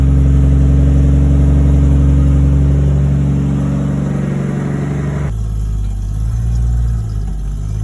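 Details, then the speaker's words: Nissan Cefiro RB25 after fitting a new LSD diff, low-speed test drive: steady low engine drone then smooth drop in tone, no chirping from the rear end as before; diff operating normally. "Oh, look at that, listen to that, no fucking chirping. No what? No, remember how it used to like chirp?"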